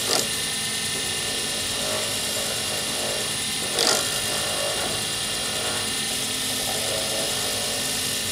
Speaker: well I hope you could hear it that's what it sounds like when you make a scratch on a blank and that's what you try to avoid